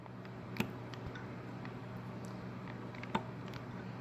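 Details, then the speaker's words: Heater control valve solenoid from a 2013 BMW E70, removed and bench-tested by powering pin one: two sharp, isolated clicks over a low electrical hum as power is applied; the valve is switching as it should. "okay so I'm gonna energize this to see if it's working"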